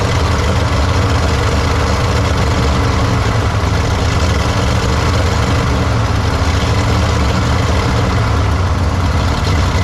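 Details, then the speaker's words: 1953 Studebaker Starliner on its first run after possibly 45 years off the road, with possibly original plugs, wires and points: steady, even low rumble with no misses or knocks; normal idle. "It's alive. It's not too bad. Don't think it's running pretty even."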